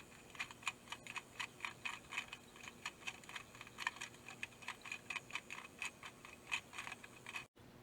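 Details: Peugeot 1.6 HDi: light crisp ticks about three per second over a faint engine hum, checked at the rocker tappets; top-end ticking, tappet suspected, unconfirmed.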